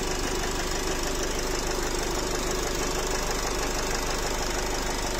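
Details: Nissan X-Trail 2.0 dCi diesel, 250,000 km, idling with no fault codes: hard, fairly regular knocking about three times a second over a rough idle; piston knock suspected.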